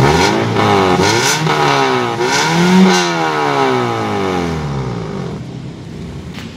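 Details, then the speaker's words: 2008 Toyota Yaris E manual: revs rise and fall smoothly with a slightly raspy exhaust note; the engine still sounds crisp, but a small leak in the muffler body is suspected. "Suaranya masih garing. Tapi memang kayak sepertinya ada sedikit kebocoran di perut knalpot."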